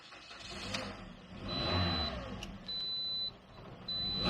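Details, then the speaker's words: Car with dead battery charged a few days by a 10-watt solar module: engine barely cranks enough, catches and settles into an even run with a few brief high chirps. "We're going to start the car, and I think it's just going to be enough crank. Give it a shot. And it's just enough."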